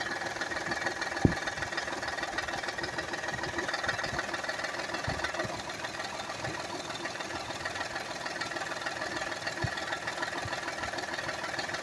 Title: Rattling noise on 2008 Honda Accord Ex V6